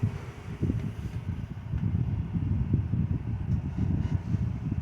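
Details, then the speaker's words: 2000 Air King 16-inch desk fan, model 9151, in very good condition, running after starting on speed 1: soft even low whoosh of air, no rattles, ticks or hum swings; quiet and smooth. "And it's also quiet."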